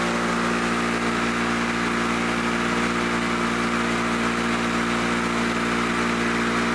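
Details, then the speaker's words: Lawn-Boy Loafer front mower two-stroke after bending the governor spring lever, with new points, fuel line, needle, spark plug and rope, air filter not yet fitted: steady high-revving even buzz, no misses or surging; runs normally. "close enough close enough for me sounds good"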